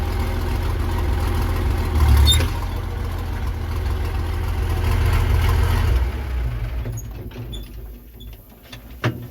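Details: Versatile 800 diesel tractor running with the roughly 50-year-old muffler removed: loud, raw, deep rumble with hard bark straight from the manifold, then easing off; unmuffled exhaust.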